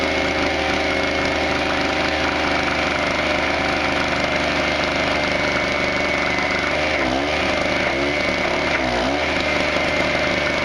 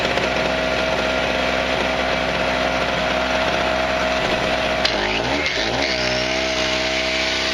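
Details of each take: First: Harbor Freight 900 peak/700 running W generator, 63cc 2 HP air-cooled two-stroke, running a stick welder: high-revving drone wavers and sags in pitch under load; RPM can't catch up, lacking initial surge to run the welder. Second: Harbor Freight 63cc two-stroke recoil-start generator (900 peak/700 running watts), choke set: high, buzzy chainsaw-like note holds steady, dips briefly under grinder load and recovers cleanly; normal running.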